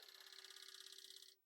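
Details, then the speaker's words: Commodore 1541 C64 disk drive after reassembly, fixed for a disk that would not eject because a small part was out of position; fast, even buzzing rattle of the head banging its stop during the normal drive test, sounds good. "Banging the head. Sounds good. So this will let it go through its testing, and then I can decide that this disk drive is pretty okay."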